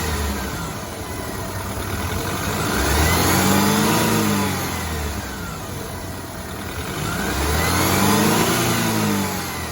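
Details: BMW 328i F30 with N26 engine, revved twice: engine swells up and down with a rising and falling whine and an odd knock riding over it; owner suspects a bad timing chain guide, cause unclear.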